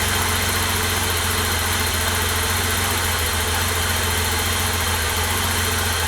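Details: 1988 BMW E32 735iL, freshly rebuilt M30 B35 inline-six (original block 395k), first start: smooth, even idle with steady low hum, no knocks, ticks or misses; healthy, car later reported running great.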